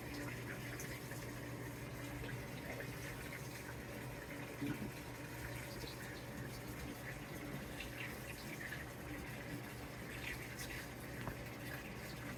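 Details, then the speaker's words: New Samsung WA50R5200AW 5.0 cu ft washer on first load after calibration: steady splash and gush of water into drum, even low hum, no knocks or grinding; normal water fill. "it does look like it's going to fill it up all the way again"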